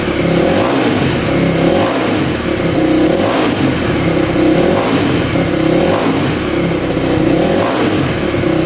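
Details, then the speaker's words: 2000 Yamaha WR400 single-cylinder four-stroke dirt bike revving after repair: stator (coils 1 and 2 open) replaced to cure no-spark, compression loss addressed by rebuild; crisp, even blips rise and fall freely, no knocks or rattles, starts every time; healthy. "Alright, that sounds really good, and you can see the starting procedure works every time."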